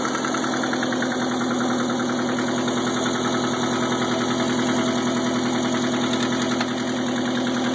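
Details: Subaru EA81 engine at idle, runs well with no missing and smooth idle, oil pressure good per gauge: hard regular knock about three or four a second over the whole engine note; source unknown.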